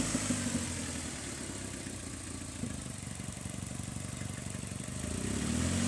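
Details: 2002 Hyundai Elantra, engine also burning oil: fast loose rattle about four beats a second over steady idle; source of the idle rattle unverified.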